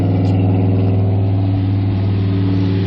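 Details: Old Chevy Suburban V8 with true dual exhaust, started after adding fuel treatment; deep, steady burble at idle with an even pulse and no ticks or knocks; normal idle.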